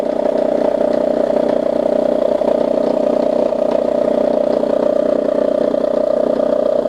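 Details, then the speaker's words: 2002 Toyota Camry, 220k miles, after new valve cover gasket, coils and plugs and a throttle-body clean for low idle: steady mid-pitched whine with quick chatter over an improved idle. Owner blames the belt tensioner; it quiets once warmed up. "that's a little better so obviously we got a little more work to do i think that's coming from the that's coming from the belt tensioner there"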